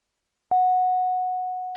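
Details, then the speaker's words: Diamond DA62 aircraft in flight as the right fuel tank runs empty: a single clear mid-pitched chime fading over about a second and a half, then the right tank is switched off; fuel tank empty alert chime. "okay right is empty right tank is empty right tank off"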